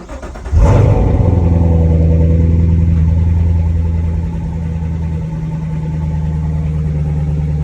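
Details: 2014–2019 Chevrolet C7 Corvette with a no-crank, no-start fault, after replacing a bad starter: a short crank, then a clean catch and a strong high idle that settles lower; it starts normally.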